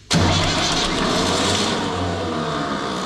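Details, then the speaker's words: Universal tractor started when cold, fine when warm: engine runs but a steady grinding whir stays on top of the idle as the starter pinion stays engaged after start; owner suspects the starter solenoid, not the gear. "çok soğukken çok zorlanıyor dinama dişi geri çekmiyor O zaman dişte değil sorun otomatikte olmalı Belki de"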